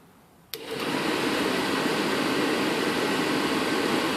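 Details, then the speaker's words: Furnace blower with the time delay relay bypassed, wired straight to the power converter fuse: a click, then a quick spool-up to a strong, steady airy rush at 100% speed. Normal blower sound without the faulty relay. "Now you can hear what the blower sounds like without the relay in line."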